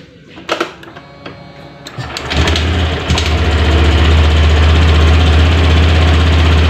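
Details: New Honda Beat scooter started after fitting a cold-type spark plug; short crank, catches and settles into a smooth even idle with a steady low hum; normal idle.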